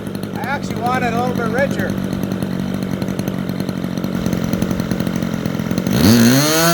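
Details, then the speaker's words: Super Tigre 90 RC model airplane engine, vertical-climb lean check: a high, steady buzz that holds without fading lean, then pitch climbs sharply on throttle. Mixture very close to right for the temperature. Well-tuned full-throttle run. "at least for this temperature that's pretty good i could hear just a touch after it held up for a bit to clean up a bit so it's really close"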